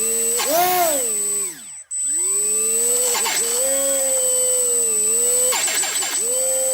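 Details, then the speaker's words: HobbyKing EZIO 800 electric RC glider motor at about 25–30% throttle on a 2-cell 800 mAh battery (same as on 300 mAh, so not battery-related): uneven whine with grinding stutters and a brief cutout, a defective ESC. "hmm can probably hear those grinding noises so it's not battery related"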